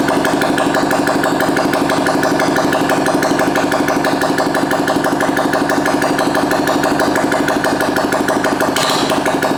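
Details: 2022 Honda Grom single just fitted with a PCX150 fuel injector, running with no exhaust. Loud, even, rapid popping idle with a raw open-pipe bark and a steady rhythm that settles cleanly; normal idle.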